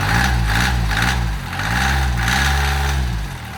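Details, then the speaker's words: Rebuilt Mitsubishi L3E three-cylinder diesel, no glow plugs, cracked thermostat housing leaking, idling after the middle-cylinder valve repair. Even idle with small speed swings, all three cylinders firing, smoother with far less smoke and little blow-by despite a slightly scored cylinder. "but I don't know, it's definitely running on all 3 cylinders now. Yeah, for sure. It's running a lot smoother. It's not smoking nearly as bad."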